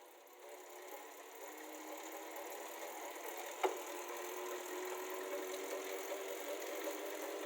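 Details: Elite Suito 2021 smart trainer spinning with a steady whir and a loud, rhythmic tapping under it. The manufacturer's support says this is normal, but the owner disagrees, since other units and an Elite Direto don't make it.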